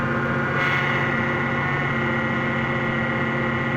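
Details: 2001 Ford Mustang 3.8L V6 at idle, light fairly regular tapping knock about four per second that goes away when the engine is warm; power steering also noisy despite fluid; cause unknown.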